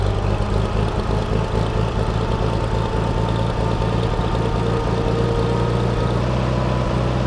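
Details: Farmall 460 tractor running after changing and cleaning plugged hydraulic filters that had disabled loader, bucket and power steering: deep, steady engine note at even speed, no knocks, misses or surging; normal running.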